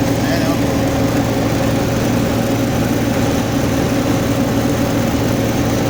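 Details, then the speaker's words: Reefer truck chiller fan blower after repair, with worn carbon brushes replaced following a blown fuse and fuse-bad alarm: steady even hum with a constant low drone and no rubbing, surging or chatter; the blower fan is running normally again. "Tingan natin kung okay na ba kung umaandar na ba yung fan oh Ayan po ang kanyang pint umaandar na po"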